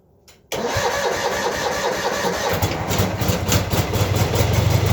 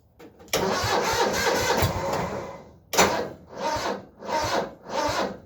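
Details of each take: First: Cub Cadet 782 tractor, hard to start in the cold, with a weak 1-year-old 320 CCA battery, boosted by a Noco GB40 jump starter: short strong cranking burst, then it catches cleanly and settles to a steady idle; starts normally. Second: Cub Cadet 782 tractor in cold weather with a one-year-old 320 CCA battery: starter turns over in slow, laboured surges about every three-quarters of a second and never catches; weak battery, before Noco GB40 jump starter is connected.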